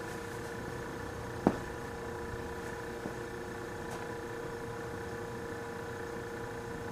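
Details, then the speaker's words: Vintage Westinghouse fridge, shipped in after failed repair attempts: compressor start draws 2.4 A against 3.2 A nameplate in an unseasonably cold room. The quiet, steady mains hum has a faint whine and one soft click, with no rattles or labouring. It runs normally and is cooling, with frost on a line. "this is a start attempt 2.4 amps and she's running doesn't even sound all that bad it's a 3.2 amps according to the nameplate"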